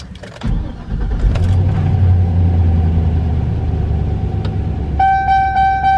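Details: Chevy Silverado LS V8 (4.8/5.3/6.0L, 1999-2007) at startup: cranks and settles to low idle, then repeated low oil pressure chime that clears later; oil level good, owner suspects faulty oil pressure sending unit, to be replaced.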